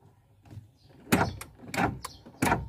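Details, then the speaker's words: Proton Wira door lock relay, located above the relay area inside: three sharp clicks about two-thirds of a second apart as the lock switch is pressed; relay working normally, checked first for a door that won't lock from inside. "Kalau saya tekan dia ada bunyi tek tek tek. So relay dia masih bagus."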